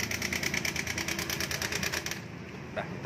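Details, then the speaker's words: New 2020 Honda Beat, about six months old, idling: fast steady metallic clatter on the left side that stops at shutdown; connecting rod checked fine, cam chain tensioner suspected of letting the chain slap. "Ini benar-benar buruk, kan? Suaranya ada di sisi ini, di sebelah kiri."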